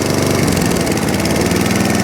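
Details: Atco Balmoral 14S mower: steady even buzz holding constant speed without surging or hunting; running properly again, though the drive is grunchy and the owner suspects a failing pinion gear.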